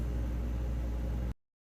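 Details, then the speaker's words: Refrigerator after replacing failed compressor starter relay that caused clicking and no cooling: steady compressor hum with even fan rush, no clicking; running normally. "I started hearing the compressor come back on as you can hear by the humming the other sound is the fan which is running too"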